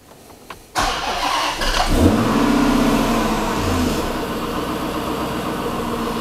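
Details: Hemi V8 cold start after a new oil pump install, coolant 46° at 54° ambient: catches quickly and settles into a steady, even cold fast idle with no knock or tick; cold idle oil pressure 85 psi.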